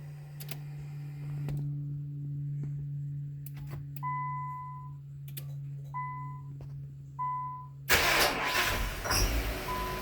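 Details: 2000 Nissan Maxima, 118,000 miles, no check engine codes, battery ruled out, restarted by remote start: chimes and hum, then a brief crank before it catches; it is a hard start that often needs many cranks, and the owner suspects no fuel.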